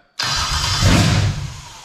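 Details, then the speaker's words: Toyota/Lexus JZ engine with the mass airflow sensor unplugged: the starter spins, the engine catches for about half a second, then fades out and won't keep running; check engine light on, failed start. "see so she didn't start okay so i'm just showing you there obviously we've got a check engine light because the map is unplugged"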